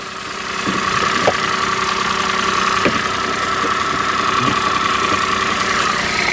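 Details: Peugeot 107 three-cylinder on a cold day, after replacing the dead coil pack: even idle with a steady hum and only the odd light clunk; engine management light still on. Runs normally.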